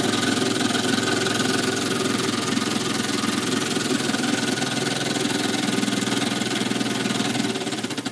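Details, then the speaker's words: Small model steam engine, brass frame bolted to boiler, freshly reamed: light even knock about three to four beats a second under steam chuff; intended bearing clearance, crankshaft would seize from expansion without it; normal. "what happens is that it expands and the crankshaft seizes up if we haven't got that knock in there so that's the way it needs to be"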